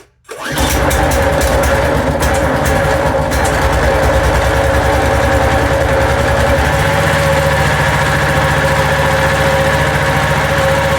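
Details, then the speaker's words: Construction equipment engine after bolts tightened and parts cleaned and lubricated with WD40 catches within half a second and settles into a steady, even idle with no misses, much quieter now. "That sounds much quieter now."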